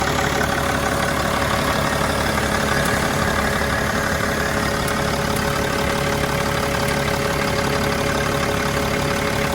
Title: Mercedes E320 CDI Strange Ticking Noise ???